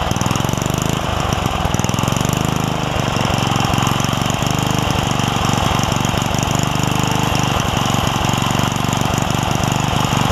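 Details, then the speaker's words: Craftsman 3 hp Tecumseh edger after fitting a snowblower carburetor, jet swapped and governor spring and linkage sorted: small single-cylinder runs at even moderate speed, steady regular firing, no surging or misses; running properly. "should run better I'm not gonna lie and then again these aren't supposed to run at very high speeds either"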